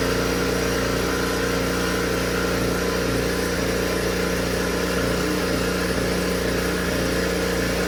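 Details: Honda HS 520 single-stage snowblower with no prior maintenance that would not start, now running after choking: steady even hum, constant pitch, no misses or knocks; normal running.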